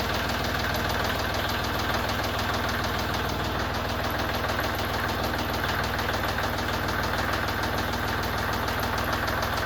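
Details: Kubota L3560 tractor diesel after oil and filter change (200-hour service): even diesel clatter at constant idle, about 200 beats a minute, no misses or knocks; normal healthy idle.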